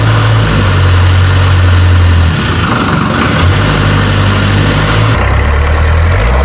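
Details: Series 2 Land Rover diesel on first start in three years, running 3-year-old diesel with a new starter motor and a weak battery. Loud, steady clatter at an even low idle, no misses or knocks: normal diesel idle.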